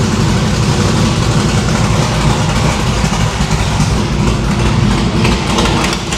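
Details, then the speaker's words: No-prep stick-shift drag car V8 after new PAC valve springs and fixing distributor rotor indexing, now on all eight plugs (previously four), headers cold on one side; deep even rumble with clean rev blips: normal running. "well after firing it up on four spark plugs it did in fact sound much better on eight so I think the valve springs is okay"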